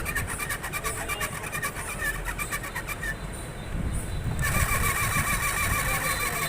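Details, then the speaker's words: 2022 Hero HF Deluxe, 13,800 km, front wheel spun: thin rhythmic squeak about three chirps a second from the speedometer meter. "इसका metre आवाज़ कर रहा है।"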